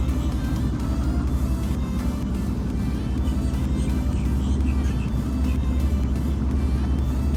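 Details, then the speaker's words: Boat outboard warming up at idle on the lake, about 75°F: low, even burble with no misses or knocks, healthy; earlier it misfired and shook at about quarter throttle but idled fine. "all right we'll let that warm up Let the motor warm up and whatnot and then we'll start doing some test runs"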